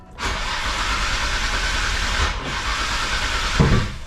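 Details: Nissan Skyline R33 GTR RB26 with injectors enabled, cranked while base timing is adjusted on the trigger kit: steady cranking whir with hiss for several seconds, never catches; cranks but won't start.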